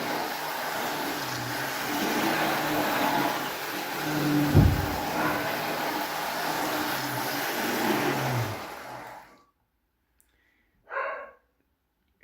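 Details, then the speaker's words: Spirit of Progress model train locomotive on a double-loop track, controller voltage turned to maximum: loud, steady buzzing whine holding pitch while running fast, no grinding or stutter; motor sounds healthy. "So, let's turn up the voltage to the maximum. It gets pretty loud, but it goes pretty fast."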